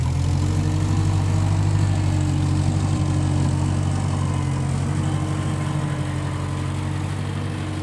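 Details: 1955 Massey Ferguson MF65 tractor, run after sitting a couple of years, carb cleaned; owner thinks the Marvel Schebler carburetor needs slight dialing in. Steady, even low thump about four beats a second, no misses or knocks: normal running.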